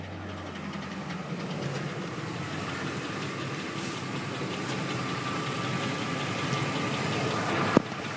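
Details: Ford engine at a quiet idle with a faint, uneven light knock; cause found to be a bent flexplate.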